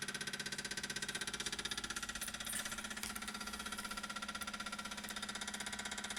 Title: 335i weird noise after engine shut off